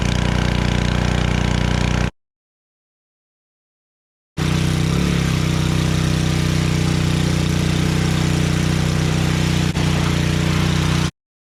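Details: Generac 01292-2 pressure washer after carburetor replacement and pump bearing replacement and new oil, running with water: steady small-engine hum, even drone around 150 Hz after a brief pause, smooth under load; healthy.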